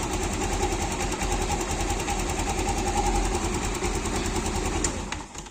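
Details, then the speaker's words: Yamaha scooter engine idling, mic held near engine, after replacing failed bearing and fitting a cheap aftermarket (KW) manual cam chain tensioner: quiet even idle, no cam chain ticking or rattle; still smooth since replacement. "nah suara mesinnya itu sangat-sangat halus ya karena Emang faktornya itu kemarin saya sudah ganti lahar noon asnya dan saya pakai Tensioner manual ini KW supermula hanya rp.000 ya"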